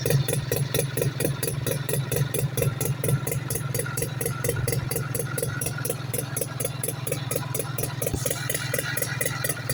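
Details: 1972 French Advancer with Sachs rotary engine, built by Colin French with Mick Whitlock, starting after a rebuild: smooth, even idle with a light regular pulse about twice a second and crisp ticking on top; runs cleanly and steadily.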